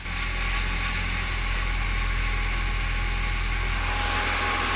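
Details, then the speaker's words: 2016 Nissan Sentra CVT after a valve body replacement and topping up fluid that was low, with air being sucked in: even, steady idle with a smooth low hum and no whine, gurgle or sucking noise; sounds normal. "Sounds better already. It does. She was definitely low."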